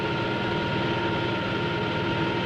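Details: Propeller model in a water tunnel at constant RPM and low ambient pressure: steady hiss and crackle over a constant tone, from cavitation on the blade faces and in the tip vortices. Raising the pressure suppresses it.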